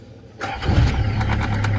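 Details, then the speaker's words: Nissan Safari (Patrol) starting after starter repair (cleaned, new Bendix drive and solenoid; worn bearing, possible flood damage): short crank, catches almost at once into smooth low idle, previously hard starting; normal quick start. "Tingnan mo yung start ngayon. Kaganina, sama lang andar."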